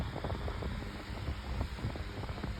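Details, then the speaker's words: 8-inch Better Homes and Gardens metal table fan, remade, running on high speed while oscillating: steady airy rush with a low rumble and no rubbing or rattling. Normal, smooth running. "now it's also making a really nice sound too oscillation once again yeah that's powerful"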